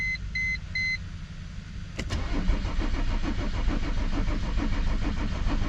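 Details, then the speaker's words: Mercedes W210 E 300 Turbo Diesel: dash chimes, then the starter churns it over at about three beats a second without catching. Battery is low at 11.8 V; fuel pressure (raw diesel smell) or glow plugs are suspected, with no trouble codes. "battery sounding kind of weak um I mean maybe it's too weak to start the car definitely sounds like the battery's weak that could be an issue"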